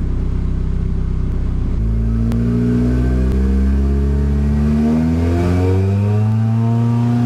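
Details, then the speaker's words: Nissan 240SX S14 with turbocharged KA24DE (KA24DET), 550cc injectors, first startup, with a new wideband fitted and suspected of running rich: rough, lumpy idle, then revs climb slowly and sag back instead of picking up; rpm drops whenever throttle is given. Cause not confirmed. "soon as I give it any gas then it just dropping down huh"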